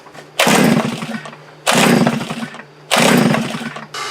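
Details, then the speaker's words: Post-hole auger engine after fuel primer bulb replaced and fuel tank repaired; three short bursts that catch and die within a second, won't keep running despite fuel in the new bulb, suspected carburetor fault. "as you guys saw it's not starting doesn't seem to want to run there is fuel in the new bowl that we put on"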